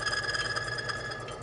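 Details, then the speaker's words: Engine oil on a one-arm-bandit lever tester, heating up as pressure is added: pulsing whine with high tones settles into a smoother run, attributed to anti-wear additives reacting with heat; cause not confirmed. "as you can hear it it sounds a little bit different it sounds a little smoother a little smoother that's those anti-wear additives reacting with the heat"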